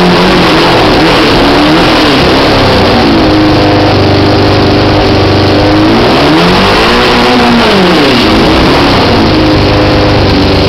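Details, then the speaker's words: 1973 Honda CB500 during build, off choke with hardly any fuel reaching it: revs climb then sag and stumble, idle rising as it runs out of gas; cutting out from fuel starvation. "So you see how it's cutting out? That smells fuel to me. But it's off the choke now, so. But we're not getting hardly any fuel in here. So I think that's the problem. It's just lack of fuel."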